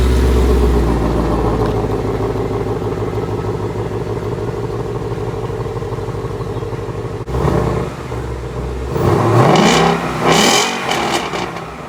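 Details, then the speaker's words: 2017 Ford Mustang GT (S550) after replacing the left rear half-shaft thrust washer behind the hub bearing: test drive with steady engine drone pulling up through revs, reverse engaged, no clunk from the rear end; normal drivetrain, clunk fixed. "see right there sometimes when I put it in reverse it would make that clunking noise did not do it this time that absolutely would have made that noise right there"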